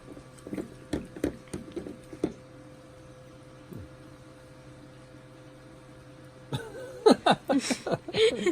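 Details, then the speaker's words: Costway tankless battery-ignition propane water heater, showerhead shutoff valve closed: irregular drips and trickles continue after shutoff; valve not sealing well and lets water dribble through. "not too well that's not the best valve in the world"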